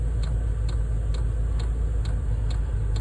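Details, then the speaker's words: RV diesel heater on its first successful test run, ramping up and blowing warm air: light, sharp fuel pump ticks about twice a second, getting faster, over a low steady rumble. Normal diesel heater operation. "it's working now it's blowing ramping up more now it's blowing rod here i can hear the fuel pump clicking faster"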